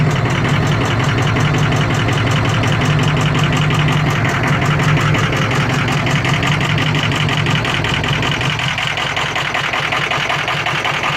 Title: 2003 Ford F250 6.0 diesel running with bad injectors